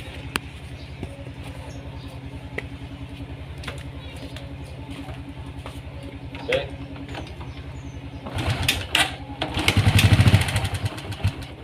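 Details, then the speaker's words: Honda Karisma motorcycle idling unevenly with occasional sharp pops, hard to start and sputtering, when a hose is connected that draws fuel instead of only air into the intake, making the mixture too rich. "cetusan Doplang selalu terjadi ketika selang ini dipasangkan ya kendaraan itu susah langsam"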